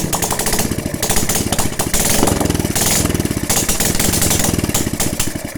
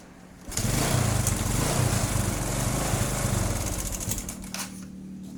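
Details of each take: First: Honda Supra X 125/Karisma single after repair for white exhaust smoke: crisp, even firing that picks up cleanly as throttle opens, no misses or rattles. Runs healthy, no more smoke. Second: Honda Supra X 125 / Karisma motorcycle blowing heavy white exhaust smoke: small single starts and settles into a rough, uneven idle with loose clatter; suspected scored cylinder bore and piston, worn rings or hardened valve seals burning oil.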